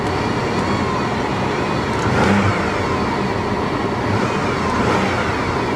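Engine revs up cleanly in short pulls with a full, even roar and no knocks or rattles; sounds healthy.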